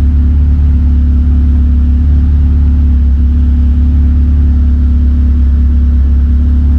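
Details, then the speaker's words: K20-swapped DC2 Integra racecar idling after a fuel system fix for injectors clogged by debris from the tank, with the Haltech Nexus R3 running the fuel pump by PWM at 0–20% duty: deep, steady idle with an even hum, no knocks, misses or pump whine. Normal idle. "that work perfectly so as the fuel pump was priming I could hear that it was barely running and as soon as the car started up like I was pointing out on the screen it was in the first cell of the table so it was between 0 and 20%"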